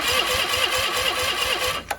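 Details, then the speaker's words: Cub Cadet 1430 lawn tractor, sat abandoned for years with fuel gone red, cranked on a booster pack with a dummy spark plug: quick, even cranking around six beats a second, no firing; no spark because an unplugged connector to a shroud-mounted box was later plugged in, fixing it. "take that as a no I don't know if we just have a bad ground or I probably should verifi oh you know why we don't have spark cuz I never uh I never plugged this in"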